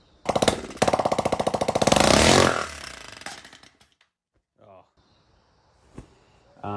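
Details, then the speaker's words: Go-kart engine, day two after getting it running: fast sharp firing pulses, then rough clatter as it winds down and dies; exhaust-side pushrod fell off its rocker, leaving the ball, so the exhaust valve wasn't being actuated properly. "um yeah, that sound you just heard was the push rod on the exhaust side falling off of here, leaving the ball in there, but going basically across. So, it wasn't pushing up the pushing down the exhaust valve properly."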